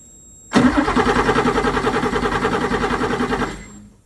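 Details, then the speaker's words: 1979 Porsche 911SC after an ignition system upgrade with a strong spark confirmed; the starter cranks rhythmically for three seconds and it doesn't catch; fuel pressure (35-40 psi expected) checked next; cranking, no start. "so you saw the nice big fat spark that we got now still have a no start so we're going to check the fuel pressures"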